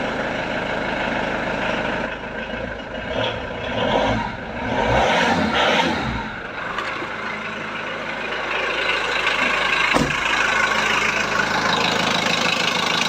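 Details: VW Transporter T4 1.9 TD diesel after reassembly with air box, timing belt cover and pipes refitted: steady idle with an even beat and background noise; the earlier rattle no longer stands out, engine sounds healthy.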